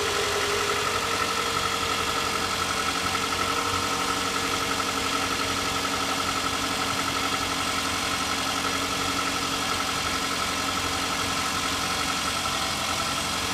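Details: Toyota Camry 40 with 2AZ-FE engine at idle: quiet hum with a light, fairly regular tapping about three times a second; a knock from inside the engine, cause unknown.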